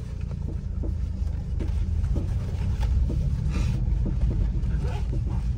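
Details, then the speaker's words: VW Polo, heard in the cabin over rough road and speed breakers: irregular hollow knocks that follow the bumps rather than engine speed; suspected worn stabilizer link rods, to be replaced. "ये जो आवाज है आप सुन रहे हो ये link road की आवाज लग रही है इसकी"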